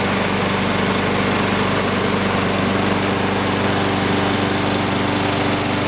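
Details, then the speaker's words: Sears Craftsman lawn mower, model 917.370610, on its last start after washing, an oil change and oiling the sticking wheels and gears (air filter not yet replaced): steady, even single-cylinder drone with constant pitch, no misses or knocks; normal running. "Much better, looks better."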